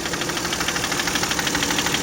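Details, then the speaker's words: Toyota 1MZ-FE V6 at idle, knock appeared at first start after spark plug change, injector seal replacement and throttle body cleaning; quick regular knock locked to engine speed, seemingly from the left; cause unknown. "Звук, кажется, идет где-то слева. По-моему, больше слышно."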